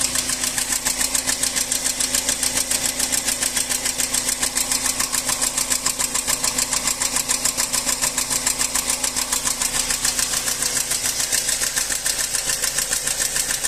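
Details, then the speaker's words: Nissan ZNA engine in a Chinese vehicle at idle: sharp, even ticking three to four per second, noise located near cylinders two and three; valve knock, valve clearance to be checked and adjusted. "Al parecer, el ruido viene por este lado, ¿no? Cilindro dos, cilindro tres y ese es un golpe de válvula, ¿no?"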